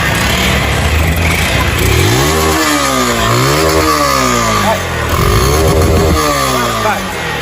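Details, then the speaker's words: 160 cc motorcycle with a severe engine noise: heavy mechanical clatter under the revs that rises and falls with the throttle; piston slap in a scored cylinder. "Não tem uma cascavel aqui dentro. Tem um barulho terrível aí."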